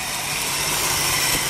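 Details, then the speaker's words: Steady, quiet idle with an even hiss and no squeal or chirp on a 1974 Ford Bronco, right after new fan/alternator belts were fitted (power steering belt loosened to change them): much quieter, normal idle. "put some new fan belt on it that's much quieter"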